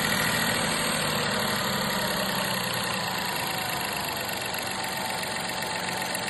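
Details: 2021 VW 1.0 TSI 81 kW (DLAA) three-cylinder at steady idle: faint, quick tapping riding on it, roughly three a second; abnormal noise, source not pinned down.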